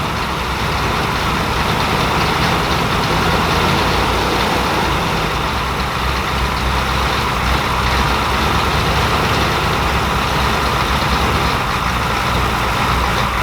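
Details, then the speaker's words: Grandpa's stolen-and-recovered OBS Chevy truck, first start after installing a starter with two replacement bolts: heavy, dragging crank about three beats a second with uneven rhythm; owner says the starter sounds really tight, cause unconfirmed. "it's almost like it's it sounds like the starter is real tight under di Shins a"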